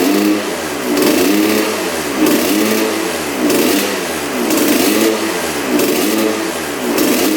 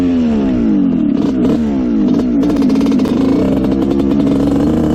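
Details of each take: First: Honda CR125 two-stroke dirt bike (1986/87) on 40:1 premix, first firing after a spark plug swap: revs rise and sag, bogging at full throttle; the owner suspects a clogged pipe, and thinks a bad plug and stuck throttle slide were partly to blame. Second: Honda CR125 two-stroke dirt bike (1986/87) after carb work, the pilot jet found to be the problem: crisp revs rise and fall cleanly with no bog or breakup; it now runs almost perfectly.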